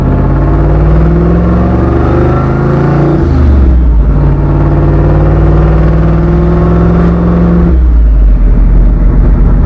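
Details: Skull Garage black truck, fresh engine build after a blown head gasket at 11 lb boost, running about five pounds of boost: deep, strong V8 pull rising cleanly through the gears, no knocks or misses; normal, healthy engine under acceleration.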